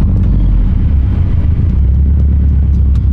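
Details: Car with newly installed COBB flex fuel sensor, just started: deep, steady, smooth idle with no knocks, misses or ticks while fuel trims learn; wideband reads about 16 AFR at idle.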